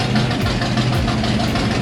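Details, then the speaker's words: 350 V8 with side pipes, in shop before road test. Loud, deep, rhythmic burble, steady and even at idle, no knock or miss; healthy start-up. "the side pipes on it. Just a good sound at the end of the day. It's been a long, busy day. Good to hear that start up."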